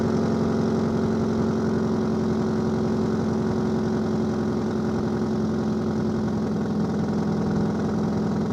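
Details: 2002 Subaru Legacy GT 2.5 starting up and revving, then holding a steady idle with a rough, puffing exhaust beat of about four pulses a second from an exhaust leak.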